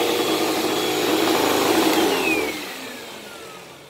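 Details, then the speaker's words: Hoover Elite Rewind upright vacuum running with rough, uneven rattling from the brush end; owner suspects the belt is shot and possibly a new brushroll is needed; otherwise works. "that brush does not sound good I think that belt is shot"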